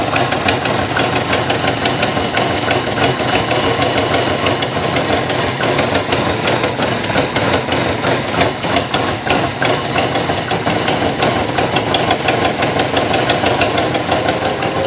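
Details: 2005 Subaru Impreza WRX rebuild: quick ticking, about three a second, over a lumpy rough idle; cause was a very bad exhaust leak, new header fixed everything.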